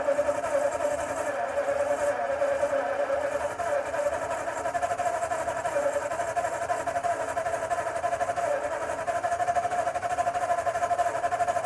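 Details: 1952 Ford F-1, first start in 28 years, rebuilt carb, PerTronix ignition, new plugs, timing being adjusted: steady starter cranking about three beats a second, turns over but never catches; out of gasoline, no start.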